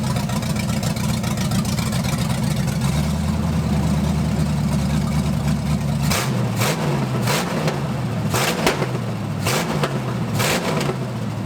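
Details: 1980 Dodge short-bed truck with big-block V8, first run in 14 years, during cam break-in after points-to-electronic-ignition conversion: steady even idle with several crisp throttle blips rising and settling cleanly; running healthy.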